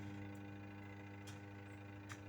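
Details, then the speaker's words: Washing machine wash motor, pulsator not turning: steady low electrical hum from a powered motor that does not spin, humming in one direction only and silent in the other; gearbox turns freely, capacitor to be checked. "Oh ya, itu kedengaran masih dengung. Tapi cuman satu arah saja ya, Lur. Yang satu arahnya lagi tidak dengung sama sekali."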